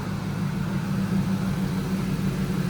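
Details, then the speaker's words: Ford Lightning SVT pickup, supercharged, idling about five minutes: low steady even rumble with no ticks, knocks, whistles or blower grinding; no leaks, intercooler pump flowing; engine healthy. "Oh yeah, I don't hear nothing crazy. No leaks. The intercooler pump is flowing."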